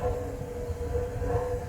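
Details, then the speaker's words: DIY home-garage waste oil furnace fed by a tiny pencil drip of oil, running; steady, even low roar with faint constant hum, no popping or surging, burning cleanly. "just that little drip right there is feeding that fire now we're talking"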